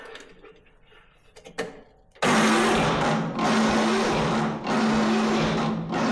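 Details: MTD Yard Machines riding mower, 13.5 hp Tecumseh, after cleaning rusty dirty spark plug boot: steady starter whir with slow rhythmic surges, never catches; cranks but won't start, weak spark suspected, carburetor cleaning planned next.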